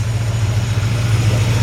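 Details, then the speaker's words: 1953 Ford F100 shortbed with 302 V8 from a donor Mustang, idling: deep, smooth, even burble, no exhaust leaks or ticks, good throttle response; healthy engine. "you can hear the engine no exhaust leaks no ticks"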